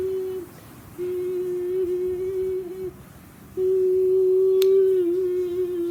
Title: Very dangerous can you give ceiling fan making noise